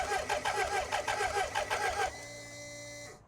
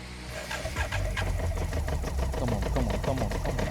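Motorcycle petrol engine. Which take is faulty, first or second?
first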